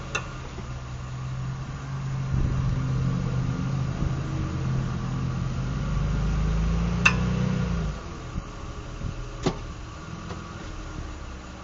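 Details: 2007 Mitsubishi Eclipse: sharp, scattered clicks over the engine pulling away from a stop, louder reversing uphill under load; failing left drive axle, fixed by replacing both axles.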